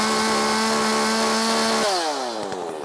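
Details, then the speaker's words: Makita 5600 chainsaw with a sharp chain, full throttle in the cut at about 13,200 rpm: a steady high scream that drops cleanly off throttle. It is rev-limited and tuned slightly rich deliberately; a healthy tune. "RPM I could probably Crank It Up more I could probably Crank It Up more but I don't want to I don't want to run I'd rather it run a little bit fat so 13-2 I think is probably good"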